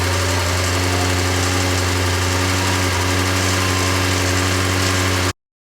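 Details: Porsche 928 V8 after oil pump work, auxiliary belts and clutch fan still off: steady even idle hum, no knocking, misfire or rattle; runs cleanly.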